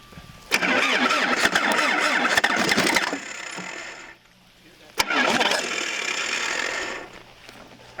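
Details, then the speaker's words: 1977 Toyota Celica GT liftback, parked about 20 years, first start attempt after refitting spark plug wires: starter spins a few seconds, cuts out, then grabs again as the battery cable connection drops out; wiggling the cable helps. "Could you wiggle the battery cable? Yeah, I got you."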